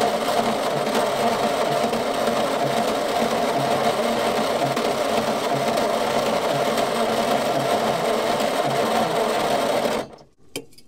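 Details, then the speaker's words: Old petrol Bedford, roughly early 60s–mid 70s, sitting 10+ years, two cylinders without compression, fed from outboard tank; labored cranking about three beats a second, no start, flooding; owner thinks starter lazy, may add second battery. "It started to flood, but we might hook up a second battery just to try and give it a bit more power, because I think the old starter motor is pretty lazy."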